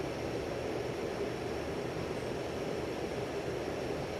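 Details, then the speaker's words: 52-inch Hunter 1886 limited edition ceiling fan with rotating motor housing, on high at least 210 RPM: even whoosh of moving air, no ticking or scraping, very little wobble; smooth bearings, running normally. "Going at least 210 RPM, again, very little wobble. It's moving a lot of air."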